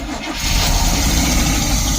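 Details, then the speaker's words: 1972 Barth motorhome engine, first run in 15 years, electric fuel pump: catches and settles into a steady, even idle on its own with no throttle help, no stumbling. "look look I can go all the way back here and it runs I'm not helping it it's alive it's alive"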